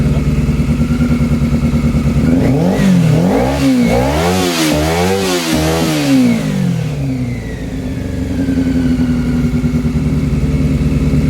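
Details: Honda CB400 Super Four, carbs bench-synced, running on the fuel left in the carbs with no fuel supply attached. A lumpy, ragged idle that smooths a little when blipped. A cylinder still seems to be running cold; the owner suspects carb sync between cylinders 3 and 4, unconfirmed.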